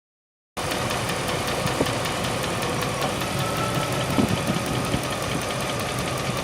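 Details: 1998 Range Rover P38: steady, heavier ticking at valve-train speed over a smooth idle. A valve-train tick is suspected, cause unconfirmed.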